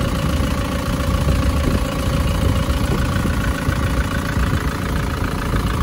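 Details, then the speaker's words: Isuzu Panther pickup diesel idling after a 77 km test drive, blow-by cured: even idle with a faint tinny metallic jingle on top, likely a loose plate still to be located. "Ini ada gemericik nanti akan kita cari dulu. Ee kemungkinan ada suara plat-plat ya. Ini suaranya ada plat-plat yang kendor ini."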